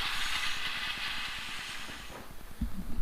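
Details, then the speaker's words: Turbo 5.3 LS engine swapped into Chevy S-10, priming oil before start: steady hiss with soft irregular gurgling pulses as oil and some air are pushed through the line into the engine. "I mean, I guess ideally you don't want to push more air into there like that, but that's definitely pushing the oil into the system."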